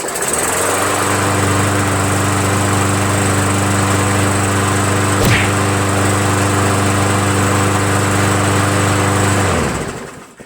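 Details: Roadside-found MTD 500E 21-inch push mower with Briggs engine, restarted after about half an hour, following air filter change and bail handle fix; steady, even single-cylinder buzz at one speed for about nine seconds, then a clean shutdown. Normal running.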